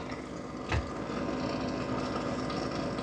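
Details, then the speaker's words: Dreame L40S CE robot vacuum-mop dock: one dull, low startup clunk as the mop pads begin spinning during pad washing, then an even whirr. This clunk is normal for the dock. "Clunk, clunk, clunk. That's normal. I know I don't like it, but it's just when the mop pads first turn on that, it's just normal."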